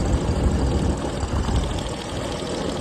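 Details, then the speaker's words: John Deere 322 lawn tractor bought at auction, oil found double overfull and smelling of gas, coolant fine: low, steady rumble idling evenly without misses or knocks, sounds good. "Let's see if the internet or the website was right. Oh, yeah. Thing sounds good."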